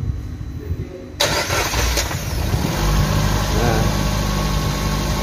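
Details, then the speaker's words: Suzuki New Carry just reassembled after a timing chain job for overheating, first start while cold; cranks and catches at once, then settles into a steady, fast, even idle; high rpm because the engine is still cold, normal. "RPM masih tinggi karena suhu mesin masih dingin, warnanya masih biru."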